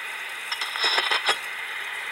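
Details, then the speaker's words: Window AC unit charged with nitrogen, heard through an HP/Delcon 4905A ultrasonic contact-probe detector: harsh high hiss with rising surges near the coil joint, the detector screaming at a refrigerant leak. "so what's doing is taking the leak you can't hear by ear and going through and down converting to where you can hear and that's an ultrasonic leak detector"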